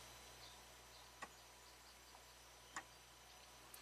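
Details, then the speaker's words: 2018 Honda Accord 1.5 turbo, about 55,000 miles, EVAP codes P0455/P0456: the EVAP vent valve is commanded on and off by a bidirectional scan tool and heard from outside as two sharp clicks. Vent solenoid working normally. "Okay, so we definitely have control of that."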